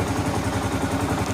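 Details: 2015 Kawasaki KLR 650 single, warm, idle set after choke adjustment that fixed hard starting (choke wasn't opening fully); steady, even thump, about eleven beats a second, no misses or rattles, healthy idle.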